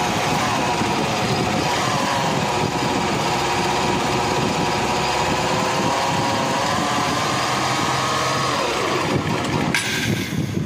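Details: Honda Unicorn motorcycle engine with clutch cover opened to isolate gearbox from crank, bore and head: steady harsh gritty roughness persists unchanged; rough engine noise, not clutch side, next checking timing chain tensioner; cause found once bore removed.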